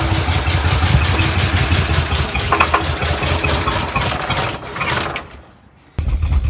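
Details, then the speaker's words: 1979 Ford F250 with significant water damage, idle for 25 years, run about 12 seconds on starting fluid: rough, irregular heavy knocking before it dies, suspected to be starting-fluid detonation, with a carburettor problem also suspected. "But did you hear it was knocking like crazy? I think that was the starting fluid detonating."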